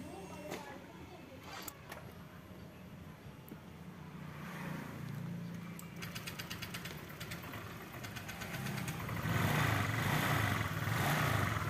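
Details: Honda Vario 125 that would barely start and stalled at idle, after replacing the wrong-spec spark plug and fitting a racing plug cap: a few clicks, then it starts and settles into a steady, even idle with a light rev.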